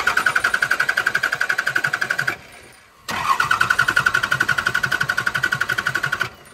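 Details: 2001 Dodge 24V Cummins diesel with a 6-speed manual, sat in a field over a year, after priming the fuel system and refitting the fuel filter: two bursts of steady cranking at about four compression beats a second, no catch; cranks but won't start.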